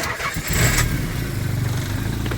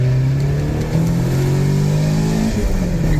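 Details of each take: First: Semi-cold start test, succeeding on the fourth try: the starter grinds through several uneven cranking bursts before the engine catches and settles into a rough idle; intermittent hard start, cause unknown. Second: Nissan 300ZX Z32 with KA24DE engine during tuning, second and third gear wide-open-throttle pulls to redline, air-fuel error about 1%; pitch climbs smoothly with quick drops at upshifts; normal wide-open-throttle acceleration.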